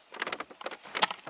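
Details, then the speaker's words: 1991 Ford Probe V6, 5-speed, 129,000 miles: short scratchy rubbing bursts as the steering wheel turns, tight at one spot where the rim binds on the left dash. A rub mark is visible; the plastics possibly expanded over time. "he says uh he has a tight spot in a steering wheel it's smooth and then tight it's sounds like something's rubbing on the dash"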